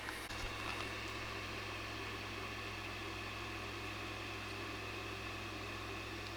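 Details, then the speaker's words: PlayStation 5 Pro with separate add-on disc drive, same as PS5 Slim's, spinning while starting an installed game; soft steady whir with faint hum; drive is noisy and vibrates but normal. "it's the same disc drive which is pretty noisy and it's also creating vibrations which may probably affect the actual noise"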